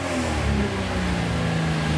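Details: 2JZ ITB Toyota GX81 Mark II at first start, small fuel pump: catches and runs with a lumpy throaty note and small throttle blips, firing on all cylinders and running fine.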